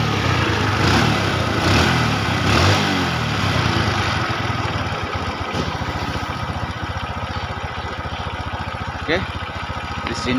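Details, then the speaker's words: Honda Revo carbureted motorcycle after carburettor and throttle cable service: fast, slightly uneven idle putter, running rich because the air screw was turned in too far, wasting fuel; air-fuel screw being rebalanced. "kita ini setelan anginya kita setelanginya dulu teman-teman dan kebetulan setelan anginya sudah terlalu di dalamkan ini setelanang ini itu tidak boleh terlalu dalam teman-teman ya setelan Ang ini itu kalau terlalu dalam nanti boros ya boros bahan bakarnya"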